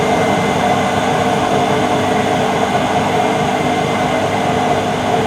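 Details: Whirlpool (Siltal) AWG324 D600 4kg 600-spin 33cm super-slim washing machine, mid-1990s: constant droning rumble with a steady hum through the whole cycle, plus knocking; the drum bearings are gone.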